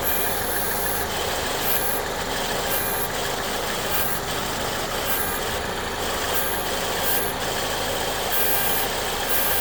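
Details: 2014 Ford Escape 1.6L at idle with AC on: high, thin buzz cutting in and out every second or so, appearing only after AC pressure builds; externally controlled variable displacement clutch compressor; owner unsure if normal.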